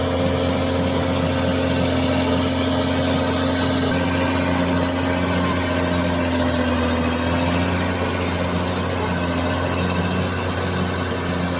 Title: Cat Dozer Bad noise,,time for undercarriage JOB. idler and roller damages..